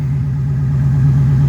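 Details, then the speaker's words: 1997 Mustang GT V8 idling after replacing a dying stock ~20-year-old pump with a new Quantum 340 lph fuel pump, pressure about 41: deep, even burble, smoother idle, no pump whine audible over the exhaust; normal idle. "so i mean that's not not bad at all our idols much smoother and you don't even hear the pump my other pump you can hear over the exhaust"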